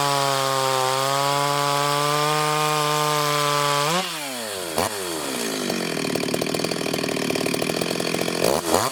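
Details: Freshly ported Stihl 026 chainsaw on shakedown cuts in hard wood, fan noise in background; steady high rev, pulls down into the cut and recovers quickly without bogging; normal, healthy running under load.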